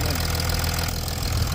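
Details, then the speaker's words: 2007–2008 Chrysler 300C diesel after repairing a fuel pipe split at a recent service, started with spray into the airbox: steady, deep, even idle with soft low rumble, no misses or knocks; running smoothly. "jump in real quick and then crank it and what do you know running like a TR like a Swiss watch listen to that Mercedes purr sorry krysler"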